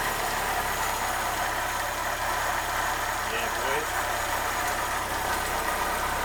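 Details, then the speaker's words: Ford Escort Mk3 CVH engine with a new Weber carb, choke on, after fitting a fresh exhaust: a soft, even idle with little exhaust rumble, no leaks or rattles. Quiet, healthy, normal idle. "you ever heard a CVH sound as quiet as that"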